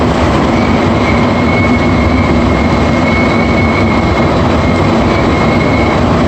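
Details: AZUR metro train Set 3 leaving a station toward Mont-Royal: thin steady whistle above the rumble as it pulls out, happening at each station; cause unclear.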